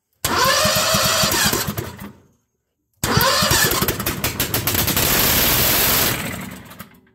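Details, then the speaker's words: Predator 670 22 hp engine in a swapped Bobcat, unrun a long time, with a splash of gas poured in: cranks, catches a couple of seconds on the primer fuel, then dies; apparently starving for fuel, owner suspects fuel line or fuel system. "I'm gonna take a splash of gas and just put down there just a splash"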